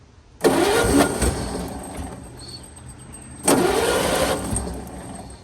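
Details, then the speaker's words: 1923 Franklin Model 10, sat about 76 years: two cranking bursts with starter churning and no catch; spark confirmed, runs on ether, no fuel reaching the carburetor; crank no start, fuel starvation. "well we know we have spark so maybe it's just a fuel delivery issue cuz that happens sometimes"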